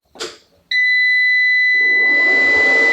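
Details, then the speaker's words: SAKO iSun 3kW 24V off-grid pure sine inverter switched on from a 24V LiFePO4 pack at 26.6V: sharp steady beep, then an even fan rush. Output reads 228V, with about 23W standby draw and audible noise from both fans. Normal startup. "ඇහෙන ඇති ලොකු tone එකක් එක on වුණා. Output voltage එක 228යි කියලා දැන් මෙතන පෙන්නනවා. ෆෑන් එක මුලින් ඔන් වෙලා ටිකක් වෙලාවකින් ඕෆ් වෙලා ගියා."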